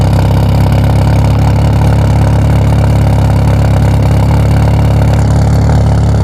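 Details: 1997 Mitsubishi Eclipse RS at idle gives a deep, loud, uneven, lumpy pulse. The owner says it overheats when sitting still but runs fine when driven; the cause of the rough idle is unknown.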